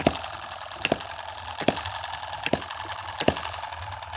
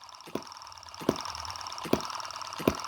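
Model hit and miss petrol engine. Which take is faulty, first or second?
second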